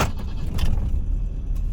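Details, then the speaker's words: BMW M10B18 testing an untested auxiliary air valve: cold start gives a steady, slightly raised fast idle at about 1000 rpm with no dips; bimetal working properly, normal cold fast idle. "RPM di 1000. Untuk awal ini sudah memenuhi syarat. Bimetal bekerja dengan baik."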